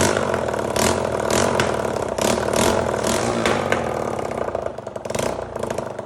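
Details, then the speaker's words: 1985 Honda XL250R RFVC single-cylinder, revived after years abandoned; after finding low compression with intake backfire, oil added to cylinder. Catches and settles into uneven but steady idle with throttle blips; runs clean, no smoke, muffler off. "yeah that sounds pretty good um doesn't smoke"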